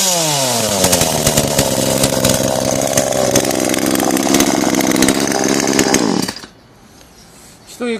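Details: Kretec UDT two-stroke chainsaw on 25:1 petrol-oil mix: loud buzz holds a steady high speed for six seconds, then shuts down cleanly; running normally.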